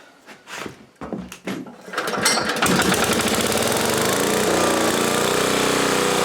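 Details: 1980 Homelite 5000 W generator with cast-iron Briggs engine, initial run: a few pull-start attempts, then catches and holds a steady, even drone while load-tested with a 220 V three-horsepower air compressor motor; running healthy, doesn't smoke.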